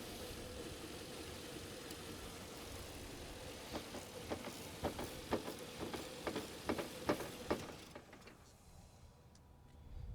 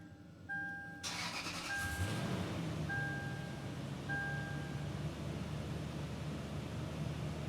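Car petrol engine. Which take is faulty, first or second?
first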